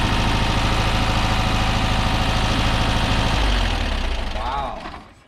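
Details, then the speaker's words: Porsche 914 flat-four with carburetors, first start after preventive maintenance: a lumpy, uneven idle with a stumbling low thump, running on three cylinders because one spark plug lead came off. "That three was three cylinders. That was 3 cylinders?"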